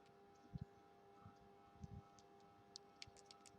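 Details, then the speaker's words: Phone power button in working condition, compared with a broken one that feels empty and silent: a few crisp, distinct clicks with each press against a quiet room; normal power button click. "Okey, dengar tak? Okey, dia akan bunyi macam tu. Dia akan bunyi macam tu."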